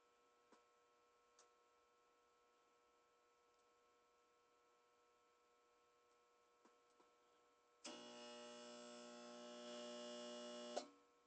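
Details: Whirlpool ACQ122XK0 window A/C, about 15 years old, mostly stored, failed after 5 minutes of cold running: faint hum on all settings, no fan, then a harsh three-second buzz as the compressor tries to start, fails, and retries every several seconds.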